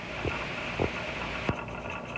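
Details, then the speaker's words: Pressure canner processing tomato sauce after 10 minutes of venting steam: steady steam hiss with soft thumps as the jiggler weight begins to rock, signalling pressure reached and 15-minute timer start; canner weight rocking at pressure. "Alrighty guys, the jiggler is on. We're going to wait for it to start jiggling, and then we'll start our timer for 15 minutes."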